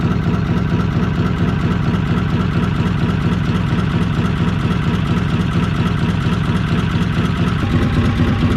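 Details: Old inboard petrol motor in trailer sailboat Moonlight, quiet tick-over with steady low thump about twice a second, no clatter or misses; normal healthy idle.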